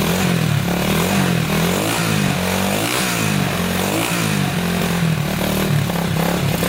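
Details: 1987 Honda 250X single after new valves, top end rebuild and new coil replacing a broken coil wire, first start after about a thousand kicks with idle raised: strong, steady thump with even exhaust note, no missing; normal running.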